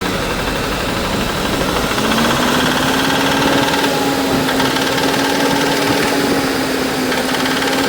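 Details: Ford Ranger 2.3 Argentine engine: a rapid, uneven ticking rides over a thin, high-pitched hum that climbs slightly with revs; a top-end engine noise, cause unclear.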